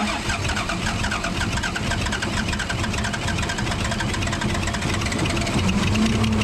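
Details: Case 855D loader, 12-valve 5.9L Cummins, idling before opening injector lines: lumpy uneven chug with stumbling beat; misfire from a bad injector causing power loss and overheating.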